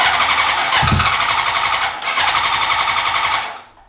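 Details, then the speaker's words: 2003 Honda CBR600RR, first start attempt after 18 years, with new ECM, fuel pump, relays, battery and zener diode: even starter whirr and compression pulses that never fire; smells of gas; cranks but does not start. "Smells like gas in there. Sounds like the injectors are just stopping. I mean, I don't know why it's not."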